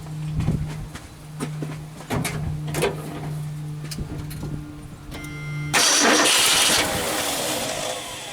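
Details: Ford F-250 390 cu in V8 with crumbling spark plugs, firing order out of time and old runny oil, fuel poured into the carburetor, new battery: labored uneven crank, then a rough stumbling catch, hard starting and misfiring.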